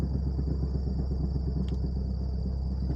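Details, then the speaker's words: Toyota Corolla XEi 2001 pulling away in first gear: heavy low rumble from the lower front, throbbing drone over the engine, like a loose gear not meshing properly; owner fears gearbox, cause unconfirmed. "parece um barulho de uma engrenagem que tá rodando e não e tipo ela tá com folga sabe que não tá pegando certinho"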